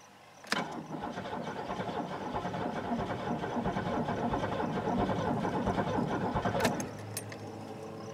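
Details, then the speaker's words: Buick LeSabre that sat about a decade, on a weak battery: slow, labored cranking at about ninety turns a minute that never catches; owner thinks ignition needs at least about 9 volts. "yeah I think I'm going to need more volts to uh actually get it to pop I think it like 9 volts is a minimum or something for ignitions on these things"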